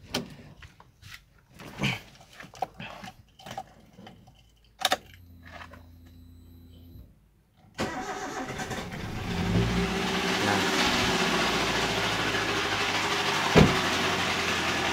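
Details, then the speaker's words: Toyota Avanza, radiator coolant brown, engine oil still good: after cold start, rough fairly regular metallic knocking over idle; suspected idler bearing about to fail, though such start-up noise usually fades once oil pressure rises. "hal yang biasa sering dialami Avanza kan ketika Angeles that pertama itu memang ada suara kasar seperti ini best tapi setelah olinya naik itu suaranya hilang"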